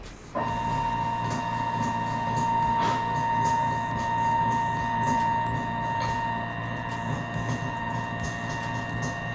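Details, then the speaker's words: Mini mill CNC conversion, Z axis with ball screw and closed-loop NEMA 23 stepper, traveling to the top: a steady high whine with a rough, gritty hum, mainly from dry bearings. Metal shavings from drilling are also suspected. "it's lit all the way at the top now it's a lot happier it's making noises but I wouldn't be surprised if there's some metal shavings and junk in there from when we were drilling"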